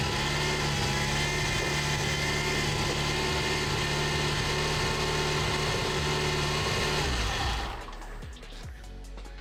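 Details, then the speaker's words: Mitsubishi Eclipse GSX cammed engine during turbo project; harsh buzzy whine over a steady beat before shutting off, owner says something is too tight, suspected belt tension, not confirmed. "Ha! Something sounds bad. It's too tight."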